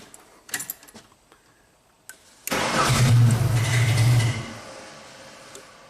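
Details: 1999 Genie with an electronic throttle-control fault that earlier shops failed to fix; it won't stay running. About two seconds of steady starter cranking fades out without the engine catching; it cranks but won't fire.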